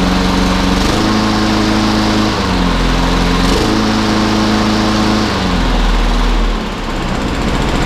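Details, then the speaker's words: Free lawnmower that would start then stall, after carburetor cleaning: holds a steady, even beat without hunting or dying; running properly now. "Good show. She's a runner."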